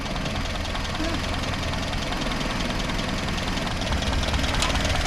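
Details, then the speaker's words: Land Rover with a new starter motor and cleaned earth points, idling stone cold after start; ignition timing may need checking: busy, slightly clattery idle with an even beat and no skips. "it's stone cold. It sounds lovely."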